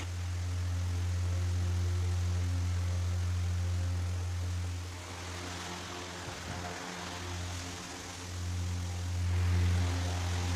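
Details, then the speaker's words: Pedestal fan after blade balance and angle setting to cure vibration: steady low even hum with no wobble, knock or rattle, brief handling disturbance midway; runs smoothly, normal running. "तो दोस्तों आप देख सकते हैं कि हमने pedestal fan को फ़िट कर लिया है, और फिटिंग के बाद हमने इसको ऑन किया है तो ये देखें बिल्कुल स्मूथली, ये बिल्कुल अच्छे तरीके से वर्क कर रहा है। कोई वाइब्रेट नहीं है, कोई किसी किस्म का इसका शोर नहीं है।"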